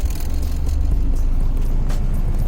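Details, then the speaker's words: Honda H22A after ARP head studs and new intake setup, possibly on E85, idle screw missing and not yet tuned, owner hears an unidentified grinding noise at times: even, steady low rumble, responsive, sounds healthy; normal running. "Sounds real good. And it's pretty responsive too."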